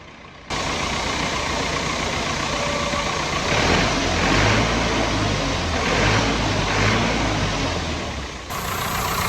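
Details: Lincoln welder engine, over 30 years old, after an oil filter service and bleeding air from the fuel system: steady, even idle with no stumble or hunting, a soft regular beat under fan noise; normal idle.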